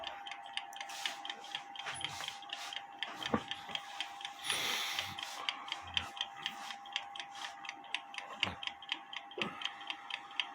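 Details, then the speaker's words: Kienzle carriage clock (1898–1923), repaired without dismantling the movement, heard through a beat amplifier: even ticking at about two per second with faint hum. Hairspring set in beat, escapement in beat, now running. "but anyway that sounds good it looks good it if it continues to run overnight I'm gonna put it back in the case"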